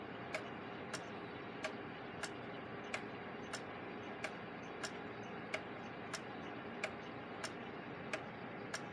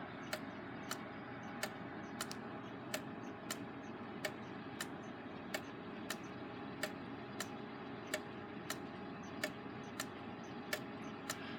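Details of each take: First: Gilbert long-drop octagon pendulum clock after rebuild and beat adjustment, back on the wall: crisp, evenly spaced ticks about ninety a minute with a quiet background; clock running in beat. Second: Gilbert long-drop octagon clock, rehung after rebuild: ticking about 46 a minute with a limping beat, lingering longer on the exit pallet than the entry; out of beat, to be adjusted by bending the rod. The escape wheel may be slightly out of round.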